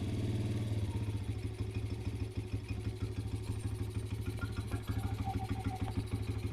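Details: 2007 Kawasaki KFX50 4-stroke 50cc kids' quad, sat 3 years, after fixing no spark by replacing the CDI, a fuse, and a sheared flywheel keyway; puttering single at even, steady beat, no knocks or misses; healthy.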